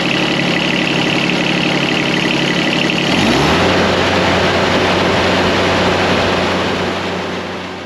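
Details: John Deere X758 diesel during an air and fuel filter change: cranking gives way to the engine catching at about three seconds and settling into an even, steady idle with no misses. A normal diesel idle.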